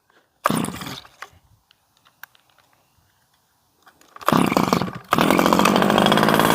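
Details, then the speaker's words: Stihl 011AV chainsaw that fires up and runs but poorly; the low jet was turned all the way in, so the owner suspects limiters restricting adjustment. A quick burst dies, then a restart into a steady high buzz, off-tune. "well I mean it fires up and it does in fact run"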